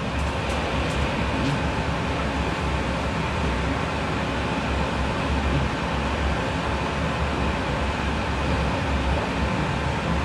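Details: Outdoor AC unit running after troubleshooting a friend's system that wouldn't work, traced to a bad Nest thermostat: steady, even low hum with a constant whoosh, compressor and fan running smoothly; normal running.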